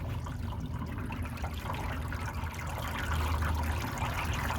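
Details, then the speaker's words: Newly plumbed outdoor hydroponic system, water tank full, first test: low steady pump hum under light even trickle through the lines; pump running normally. "Alright, we just plug it in and let her pump. Pump is running."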